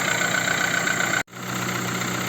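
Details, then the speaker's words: VW Bora/Jetta 1.4 petrol at idle after alternator repair (bent rotor shaft, noisy bearings) and new belt: runs quietly and steadily with no belt squeal or bearing whine; charging 14.2 V, normal. "запускаємо двигун все машина працює тихенько ніяких звуків"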